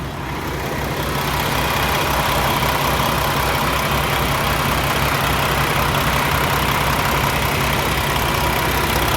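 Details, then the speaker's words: Peterbilt 579 diesel truck back from dealership repair, fresh oil change: smooth even idle with steady low rumble, no knocks, misses or rattles; runs much smoother, healthy. "she just sounds so much smoother put a brand new oil for overnight"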